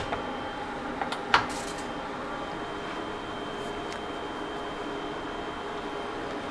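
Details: Pioneer SX-6000 receiver phono input through speaker: steady hiss with sharp pops and crackles, both channels bad; probably noisy transistors on the head amp board.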